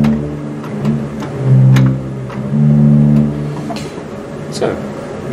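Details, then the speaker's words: Minch church organ pedal bottom D after repair (broken tracker refitted, leather button and bushings replaced): steady low pedal note now sounds cleanly between light action clicks, fixed and speaking normally. "works again okay so now we've fixed the pedal note"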